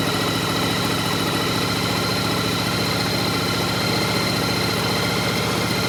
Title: Yamaha Virago 1100 start. Knocking sound.